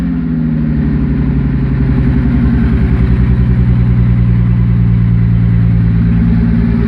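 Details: Toyota Supra with a new 7M-GE naturally aspirated engine, driven twice: rapid, even ticking at idle that rises with revs, sounding like it comes from under the valve cover; owner suspects possible rod knock, cause unconfirmed.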